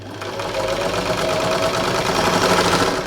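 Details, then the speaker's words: Thrift-store Singer 328P sewing machine at first power-up before oiling: fast, even whirr with quick light patter, steady speed, no labouring or catching; motor strong, though machine needs oil; normal running. "Nice and strong. Motor's strong."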